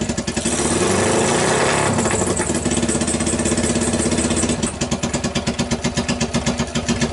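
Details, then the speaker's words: 2012 Kawasaki Ninja twin on single homemade-manifold Keihin PZ30 clone carb, choke on, first start: rough blips that catch late and flutter unevenly at idle; throttle lags instead of responding instantly, possible carburetion issue. "I would give a gas and it would lag it would an instantly respond"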